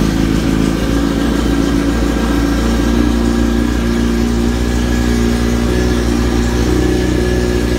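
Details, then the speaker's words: 2005 Yamaha R1 with a full Bos Brothers exhaust (essentially an open header), unridden for 3–4 years, lithium battery; fuel pump primes, then a loud, deep, steady fast idle with a brief rev, even firing, no knocks; runs normally. "let me fire it up so you can hear it run there's a fuel pump priming it still has a lithium battery in there"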